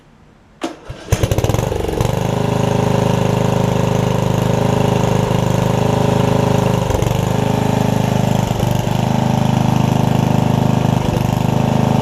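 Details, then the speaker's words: Murray riding mower after fitting the four missing engine mounting bolts and adding an exhaust, with a replacement battery, filmed on a tripod: the engine cranks, catches within a second and settles into a steady, even idle with no misses or knocks. "i'll crank it up i'll show you that it runs cuts drives real quick right here on the tripod and we'll wrap this video up"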